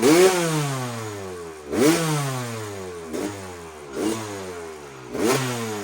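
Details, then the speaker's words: 2001 Kawasaki KX250 two-stroke after needle clip raised one position to number two to lean it out: blips up and falls back about every 1.5 seconds, burbling and slow to clean up, still somewhat rich; seemed to run only slightly better. "it seems like it definitely got a lot leaner and it seemed like it ran a little bit better the first time but not much"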